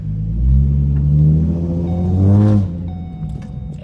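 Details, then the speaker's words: Ford Mustang backing out of the driveway in reverse after replacing the exhaust hanger: deep, smooth engine rumble with no tapping or buzzing from the exhaust; the rattle, previously loudest in reverse and at 1500–1700 rpm cruising, is fixed. "that's so nice I'm so happy that actually worked"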